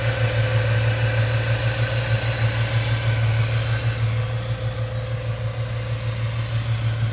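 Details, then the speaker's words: 1998 Ford Mustang after about ten years sitting, first start-up after refitting the gas tank and a new battery, warming toward normal temperature: steady, even low rumble with no misses, knocks or ticks, surprisingly smooth healthy idle. "oh it runs so smooth this is this is surprising for 10 years sitting without being cranked and fired up great"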